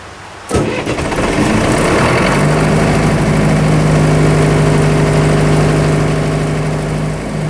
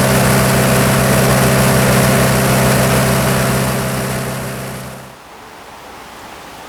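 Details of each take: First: Military surplus diesel generator after sitting several years, started outside in cold weather: short crank, quick catch, then one steady beat that won't follow throttle; suspected seized injection pump linkage rather than a failed pump. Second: Military surplus diesel generator after years of sitting, running 15 to 20 minutes warm with battle short switch bypassing over-voltage trip: steady even diesel drone, no knocks or misses, then smooth wind-down; gauges normal, thermostat opened.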